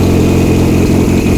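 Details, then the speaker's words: VW Routan van, first start after harness repair and a charged battery, once a locked starter was freed: loud, rough, uneven running with an unmuffled deep exhaust bark; owner suspects the timing is off, and a giant oil leak appeared shortly after. "All right, the battery's installed, so I want you guys to kind of hear how bad this thing sounds. It's a little rough, pretty loud, and I'm sure some of you are gonna immediately tell me the timing is off, which you're probably right."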